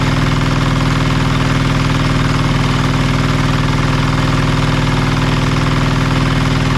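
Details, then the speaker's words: Marketplace diesel generator after repairs, first start: deep, steady diesel thrum at even beat, no misses, knocks or hunting; engine runs smoothly but generator still makes no power. "oh she's running really well been not making power still so we'll have to do a bit more digging"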